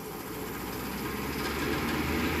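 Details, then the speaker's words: Vintage 15-inch Lasko floor fan, repainted, running with rough rushing noise and a low uneven throb; the motor is off balance and the blades wobble from a loose blade hub. "secondly the motorists horribly noisy and off balance you can see the blades wobbling there"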